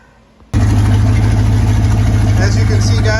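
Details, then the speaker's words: 1966 Ford Mustang coupe, 289 V8, automatic, one owner, sat in a barn 46 years since 1978; run on original fuel tank and pump after new carburetor, plug wires, battery and refilled cooling. Engine catches abruptly and holds a steady even low idle, no misses or knocks: normal idle. "But other than that, it's running pretty good for sitting for 46 years. It's pretty amazing sitting here idling"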